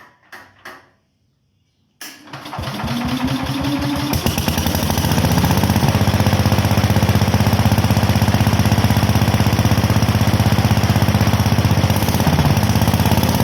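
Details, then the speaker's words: Onan generator that last ran around 1983–84 and has a rigged on/off switch: it cranks, catches and settles into a steady, even single-cylinder beat with no misses or knocks. It runs normally. "well all right we got a runner now let's see if we got a charger"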